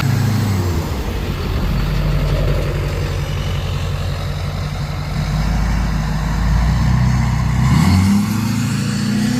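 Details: 2005 Duramax LLY diesel after rebuilding the leaking factory fuel filter housing and bleeding air with the hand primer: deep clatter settles into an even idle, briefly rises with a throttle blip, then steadies; running healthy.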